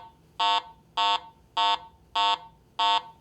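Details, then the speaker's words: Garrett AT Pro metal detector in standard mode: five short, buzzy, evenly spaced low-pitched beeps, the low tone of its three-tone target ID based on metal type and conductivity. "a target based on its metal type and its conductivity is simply reported by one of three different tones a low"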